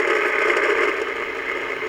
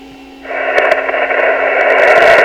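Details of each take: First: Original Yaesu FT-101 transceiver (no letter suffix), powered on after the power switch, line filter capacitors and fuse lamp were replaced, volume raised: a steady hiss with a rough crackle and no low end. The owner suspects the speaker may be in rough shape. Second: Yaesu FT-101 radio after a power switch fix and new line filter capacitors and fuse lamp, on lower sideband through an external speaker. Steady, even hiss with faint crackles and no distortion; normal receiver static.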